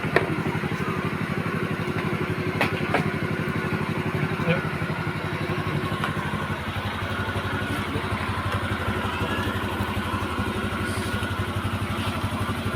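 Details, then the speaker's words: Honda Vario 125 (old, KZR) that stalled when hot and showed code 52 (CKP sensor), after repair and ECU reset: steady, even single-cylinder idle around 1400 rpm with regular firing, no misses or knocks, responsive throttle; though it later died again. "Nah ini setelah dites ternyata motor normal ya, sekarang sudah bisa gasnya responsif ya."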